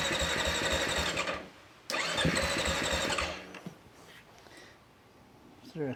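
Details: Beta motorcycle after its non-working fuel pump was fixed and the cover refitted. Quick regular putting at about four beats a second catches and runs, then fades; it starts and runs normally.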